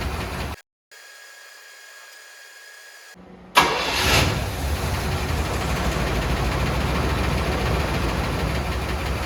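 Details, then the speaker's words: 1979 Cadillac Brougham d'Elegance, 425 cu in four-barrel V8, stored about 10 years in a pole barn, new battery, running on old fuel: brief crank, then catches and settles into a steady, even idle; starts and idles fine. "seems to be starting and running on its own pretty good"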